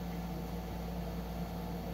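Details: PC with a Ryzen 3000 CPU on an MSI B450/X470 Tomahawk board, RESET SW jumper removed, at power-on: steady, even low fan hum with a faint constant tone, no ticking or grinding. Fans healthy, and it posts.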